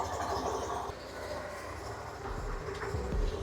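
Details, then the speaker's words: Yamaha NMAX V2 scooter running: loose, uneven rattle first thought to be the exhaust, actually from the CVT, fixed by replacing sliders and V-belt and servicing the front pulley. "Turns out I don't think it's the sound of the exhaust, it's actually the CVT system."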